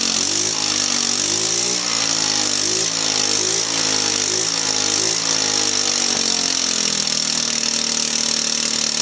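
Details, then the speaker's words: Volecity 150cc scooter, a backyard find, starting for the first time in many years on carburetor cleaner sprayed into the back of the carb: the engine runs unevenly with surging revs; fuel supply is suspect and the owner suspects a leak. "as you can see that probably the first time that thing started in 34 years maybe longer so it does run"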